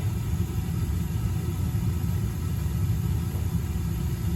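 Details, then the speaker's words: Slant Fin Galaxy gas-fired steam boiler, about 40 years old, just after replacing the failed Honeywell intermittent pilot spark ignition module: ignition, then a steady main-burner roar with no pulsing or cutting out, normal operation. "New spark ignition module. And we got ignition. And we got main burner. Sweet."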